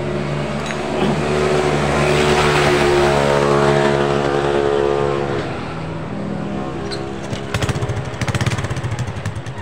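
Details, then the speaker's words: Honda Supra X 125 after fixing a timing chain rattle by resetting the chain tensioner beyond its standard setting, since the tensioner position let the chain go slack: even, steady idle with no chain rattle; a few handling clicks near the end. "Nah ini udah aman enggak bunyi lagi sama sekali udah aman karena tadi posisi Tensioner itu ini posisi Tensioner jadi tidak cukup lagi untuk menekan ke timing makanya timing itu kendor ya"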